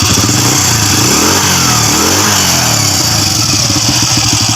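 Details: Honda Wave 100 that was knocking after a top overhaul, after the magneto was secured and the loose timing chain given a stiffer tensioner spring: steady idle then clean, smooth rev blips with no knocking or clatter; normal idle and rev.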